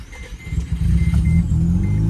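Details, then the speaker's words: Stock 1987 second-generation FC Mazda RX-7 rotary engine, in great shape: a quick crank, then a smooth, buzzy, even idle settling right in; a healthy start without flooding. "there she goes so that is what a stock RX7 sounds like and uh these cars are very interesting the the rotary engines in these uh it is extremely smooth very very smooth"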